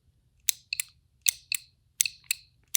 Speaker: you can hear the relay clicking so I can actually actuate the relay and I can use another meter to Ohm to see if the relay is actually working and providing power across the terminal